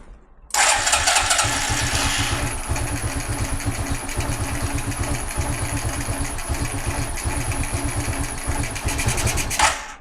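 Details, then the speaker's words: Carbureted G-Moto Cross X Pro moped at 1,700 km, tank drained for a fuel-consumption test: steady rhythmic cranking for about nine seconds that never fires for lack of fuel. "c'est possible quelques gouttelettes tombent dans les tubes carburateur c'est pourquoi"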